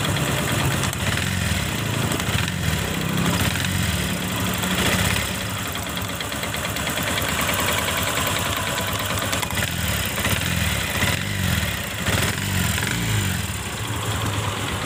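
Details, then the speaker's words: Honda Supra X Helm In motorcycle with rough engine noise complaint, exhaust refitted, oil milky white, possibly from water ingress; idling and blipping with rough uneven clatter sharpening on throttle, clutch rubber first suspected but not loose, source unconfirmed. "kita pastiin bunyi yang keletok-keletok kita pasang dulun knalnya supaya pasti di bagian mana yang suaranya kasar ya"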